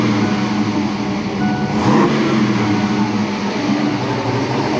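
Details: 1988 Saleen Foxbody Mustang, fresh supercharged (Kenne Bell Flowzilla) V8 with Trick Flow 170s and Megasquirt, after the misfire fix. A quick throttle blip picks up cleanly and settles back with no stutter; normal free revving.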